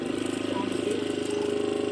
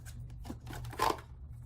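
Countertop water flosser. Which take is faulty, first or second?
second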